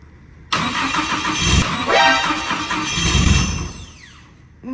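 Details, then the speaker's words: Nissan S14 build, first start after wiring is finished and oil is added, before the dyno: a brief crank, then it catches straight away and settles to a steady, even idle with no knocks or misses. A healthy first start. "I was just about to say take your hand away from the fan then it started straight away that's a good sign that means we've put oil in it"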